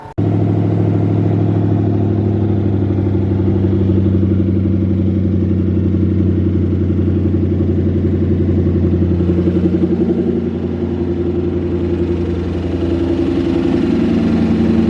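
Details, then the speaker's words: Ford Mustang Boss 302 V8 after boosted pulls: starts and idles deep with a steady, fast ticking knock, consistent from startup to shutdown, cold or warm; owner suspects rod knock or a bad lifter, unconfirmed. "because as of right now the cars has a consistent knock from the startup to when you turn it off even when it's cold even when it warms up it's the same"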